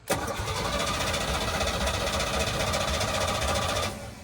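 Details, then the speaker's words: Small block Chevy, unhooked from the truck, cranked by the starter: it spins unusually fast and evenly for about four seconds with little labouring. Owner suspects low or no compression; not confirmed. It ran and smoked from the manifolds. "that cranks over real fast for a small block Chevy. they don't usually crank over that fast, I don't think. So that tells me low compression or no compression."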